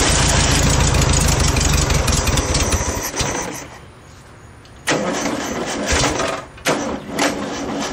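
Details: Air-cooled VW Beetle flat-four swapped into junkyard VW motorcycle build, fed gas from a tank: catches, even rapid beat, brief stumbles on blips, then settles; normal running.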